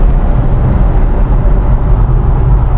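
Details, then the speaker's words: S197 Ford Mustang after an underbody rattle repair, cruising in 6th gear at 60 to 80 mph: steady road and wind roar with no metallic tapping or buzzing; underbody rattle gone. "I don't hear any rattling at all. You guys hear that? I don't hear any rattling. Going back up to 80. I hear some wind, but no rattling."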